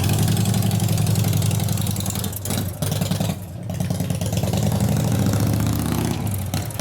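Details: 1988 Harley FXR V-twin, possibly cold: loud, lumpy idle with a steady low thump and a slight stumble; a normal cold idle.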